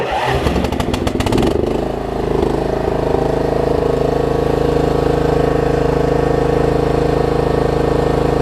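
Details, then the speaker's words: Troy-Bilt Pony riding mower, unidentified small engine (possibly Loncin), restarted after a solenoid-connection fix and good battery: a few seconds of rough clattering as it catches, then a steady, even run with no misses. "$100, y'all. About 30 minutes of troubleshooting, got it running."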